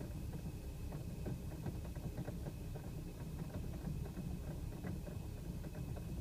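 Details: BMW E90 rough idle 28 miles after adding Chevron Techron Concentrated Plus: a low, uneven idle with a lumpy shake and occasional stumbles, heard as light misfires. The owner also reports coughy, unsmooth acceleration from 2500 to 4000 rpm. Cause unclear.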